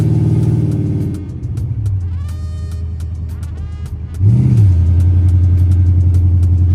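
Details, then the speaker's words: Chrysler 300C 5.7 Hemi with long-tube headers, after replacing missing driver-side header bolts that caused clunking: deep, even V8 rumble with a quick rev blip and no clunks or ticking; normal exhaust note. "Now it has its depth back like that deep [Music] growl."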